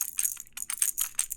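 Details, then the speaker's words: Master Lock 410 LOTO padlock, rattled by turning plug to 180 degrees so key pins drop out: bright tinny metallic rattles in quick bursts as lock is shaken, loose key pins rattling inside body. "they're rattling around inside of this lock."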